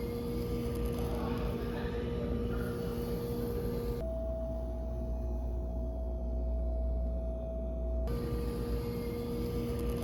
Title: Whirlpool fridge sound at Lowes vs what Lowes delivered to my house